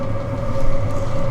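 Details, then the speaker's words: Chinese diesel heater in a truck at high altitude in a Rocky Mountain blizzard, fuel pump clicking: steady low roar with constant mid-pitched hum after several start attempts, lit and burning evenly; normal running. "Looks like it's working. Oh, there we go. Looks like it's working."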